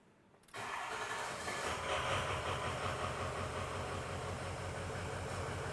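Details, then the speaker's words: 2004 Ford F350 6.0L Powerstroke diesel, first start after an EGR gasket coolant-leak repair and fuel-system purge: loud idle with a slightly uneven, lumpy beat from air pockets in the fuel system. "sounds pretty good for an engine that just had the fuel system opened up that little rough idle that you're hearing those are some of the air pockets"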